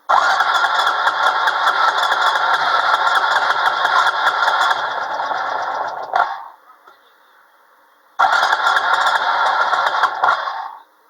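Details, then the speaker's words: ATV cold start with starting fluid blasted into the intake: engine catches and runs rough for several seconds, dies, fires again, then quits. It runs only briefly on starting fluid. "Hey, I'm just trying to blast a little bit of air in here. Blast a little stopping fluid in there. That ought to do it. Darn it. Who said cheaters never win?"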